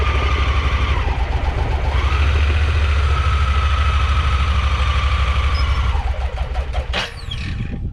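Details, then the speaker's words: Honda Pioneer 1000-5 side-by-side running rough, Sea Foam didn't help; in low and reverse the lumpy idle skips beats, then sags and dies; owner suspects spark plugs, says it only keeps running in high; misfire then stall. "And then it died, and that's what it's been doing."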